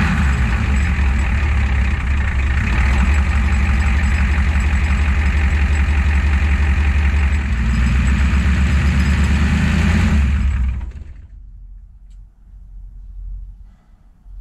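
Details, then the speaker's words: Ford 7.3 IDI diesel after new fuel filter and injector return lines, no leaks: heavy clatter runs steady, then sags and dies within a second when the throttle is released; repeatable, long-standing stalling, cause not yet found. "there's no leaks but it's still dying when you let off the accelerator so there's still some things to sort out I guess"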